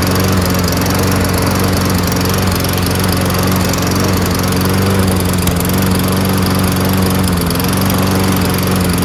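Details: Toro Recycler 22-inch front self-propelled mower with Tecumseh engine, after carburetor clean repair: steady, even drone at constant speed with no surging or hunting; engine runs smooth and healthy.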